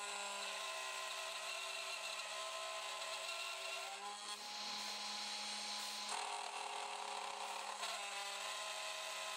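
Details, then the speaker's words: Loud steady cutting screech with strained, rubbing tone as the cutter loads up: a carbide end mill on a Grizzly G0836 CNC cutting an aluminum gib-lock knob for a Sieg X2.7 mill, air cooling only, no alcohol; chips welding to the cutter. "well what happened so air-cooling not enough we got some oh I see nice nice chip welding chip welding carbide took it though"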